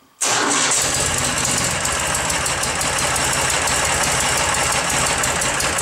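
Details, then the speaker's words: 2008 Ural Tourist sidecar motorcycle, cold start after exhaust-leak tinkering, clutch pulled, slight throttle: fires instantly, settles into steady even idle around 1050–1100 rpm, smoothing as it warms; healthy start. "as it continues to run it a little smooth out and kind of steady down bottles around 1050 1100 rpms or so"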